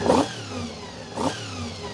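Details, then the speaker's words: Honda VFR400 NC24 after carb rebuild and balancing, still on pilot jets: two quick, clean throttle blips rise and fall back to a settled tickover without hesitation; ticking over nicely, crisp and responsive. "Obviously these are out because we're on pilot jets, not main. But ticking over very nicely."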